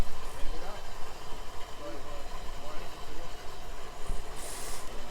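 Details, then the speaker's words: Outboard at idle after clearing a major cooling-water blockage, now 2.8 psi water pressure: low, steady burble with water and wind hiss; runs evenly, normal idle. "Okay, so now sitting at idle, we got 2.8 psi."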